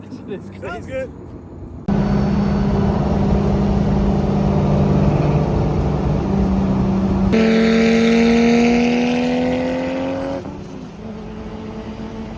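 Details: RB26-powered MK5 Supra build with a roughly 9-quart sump, before its first dyno session, with metal found in the oil filter: strong, even note climbs cleanly as it revs and drops back, no knocks or misses; normal revving.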